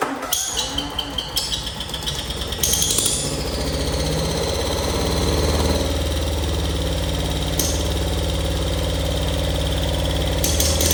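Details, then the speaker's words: Cub Cadet Cyclops with Kohler 18 twin-cylinder engine, cold start after oil change to 10W40: lumpy uneven beat, seemingly not firing on both cylinders; owner suspects muffler, coil or bad plug; finding: blown head gasket. "I still think it's a muffler, but I don't think she's firing on both cylinders at the same time."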